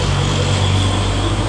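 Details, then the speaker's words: Suzuki Shogun R with total electrical failure, traced to the orange wire after the ignition key switch: single-cylinder engine now ticks over with a low even thump, steady pitch, no misses, running normally. "dan coba kita hidupkan motor hidup dengan normal"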